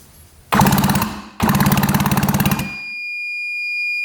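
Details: 1966 Yamaha YL1 motorcycle, never run in 15 years by its previous owner: electric starter spins the engine in quick even pulses, about fifteen a second, with no firing; neither plug sparks; cranks fine but no spark.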